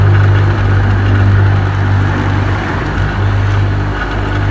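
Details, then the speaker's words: Filtrinov swimming pool vacuum system: the pump pulls water up into the pipe, then kicks in with a lower, steady, even drone and no surging or rattle, meaning the pipe is full and the pump is primed and running normally. "It takes a while, and there we are, you hear it kicking in now."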